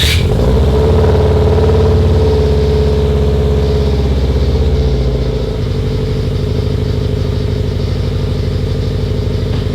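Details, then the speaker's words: Subaru STI engine after drivetrain swap with new downpipe and catback exhaust, warming up: steady low burble settling lower, even pulse, no knocks or misses; AFRs decent, oil pressure good, healthy idle. "yeah honestly it seems to be running pretty damn good I mean I wouldn't really expect it to be running bad I haven't done anything to the engine since we pulled it"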